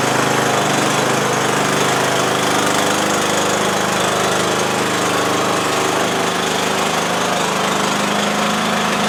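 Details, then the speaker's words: About 20-year-old Bolens lawn tractor, Briggs & Stratton Intek 15.5 hp, after cleaning corroded connections from key switch to fuse holder, starter solenoid and battery and fitting a new starter solenoid. Choke up, it runs steady and even at fast idle: repaired. "And uh yeah, now every time you turn the key it does what it's supposed to do."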